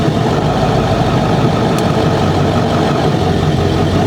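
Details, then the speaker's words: 7.3L Powerstroke diesel with 175cc/30% injectors, idling on tune setting 3, the quieter drive-through tune: an even, low, soft clatter with no knocks or misses, much quieter than the higher tunes. "you can hear it quiet up a little bit 3 4 I don't know how well you guys can hear that but for inside the cab it is a huge difference"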